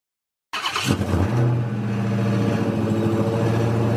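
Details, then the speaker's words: 2016 Dodge Charger SRT Hellcat (supercharged): about 30 s after startup, the engine at fast idle develops a loud-to-moderate loose metallic rattle underneath, seeming to come from under the passenger seat forward along the passenger side. Owner suspects exhaust or a vibration; two shops couldn't hear it. "Then after that, there is a loud, sometimes not so loud, rattling sound. It sounds like it's coming from basically almost right under the passenger seat, somewhere along the passenger side of the car, from the the seam of the two doors forward."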